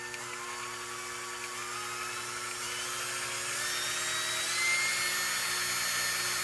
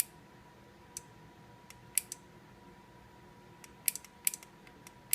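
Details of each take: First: KitchenAid seven-speed mixer after replacing the power-supply capacitor (DC now measured at 1068): a steady high motor whine that climbs slightly as it spins up, smooth with no grinding. Normal running. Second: KitchenAid mixer, DC motor plugged back in: faint irregular clicking over quiet hum, relay chattering; failed 470 µF electrolytic capacitor in power supply.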